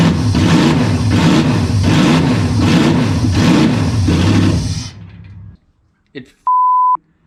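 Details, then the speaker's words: Toyota 1UZ-FE V8, 29 years old, abused with oil leaks, bench-started: idles with a steady, even pulse, no knocks or rattles for about five seconds, then shuts off cleanly and a beep follows; normal running. "it runs man I love this [ __ ] and it sounds cool as hell"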